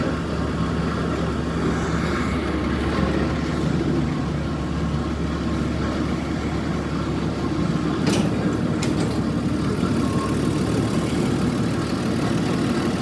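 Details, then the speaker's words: 1946 Chevy truck, started after tinkering and draining the fuel lines. Even, low-pitched idle with a steady beat and no misfires or knocks: a smooth-running old six, normal idle. "Yeah, over here there's some tape left on it from when it was painted, but truck runs smooth."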